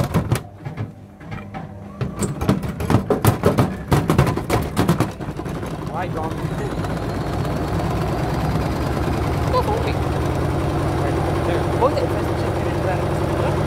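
Heavy irregular thumps and bangs for several seconds, then a steady spin roar; the drum is thrashing on an out-of-balance load. Cause suspected, not confirmed.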